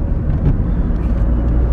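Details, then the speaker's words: Suzuki Swift, about 2009, on a road test after gearbox repair for 5th gear jumping out on the motorway: low even rumble under way, no whine, grinding or clunks; all gears including 5th shift well, gearbox quiet and healthy. "Getriebe macht keine Geräusche. Auto zieht gut, fährt gut, schaltet gut."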